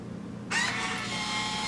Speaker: You just shut the vacuum feature off and you wait for it to do its seal, because there's an element in there that has to heat up to seal that plastic, and then it releases. You'll hear it release.